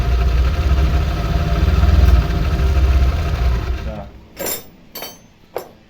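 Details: Honda Vario 125 LED scooter in for rough CVT noise, run during teardown: smooth, even engine hum for about four seconds before shutoff, no rattle or harsh grinding from the CVT.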